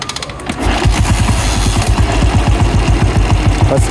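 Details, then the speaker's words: Old 1985 Royal Enfield Bullet, set up to run on points, TCI or CDI ignition, started on performance points: big single-cylinder thumps at a steady beat of about three a second, no misfires; idles normally. "Performance பாயிண்டில் இப்போ start ஆகுது."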